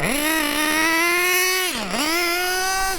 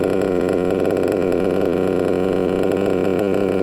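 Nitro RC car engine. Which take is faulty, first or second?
first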